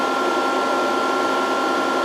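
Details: VFD cooling fan running normally while reforming long-idle capacitors; input voltage ramped through about 100–120 V with a light bulb as the charging indicator, drive in under-voltage. Smooth steady whir with a constant whistle-like tone and airy hiss, no rattle or wobble.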